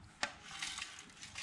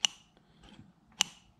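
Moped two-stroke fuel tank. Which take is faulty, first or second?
first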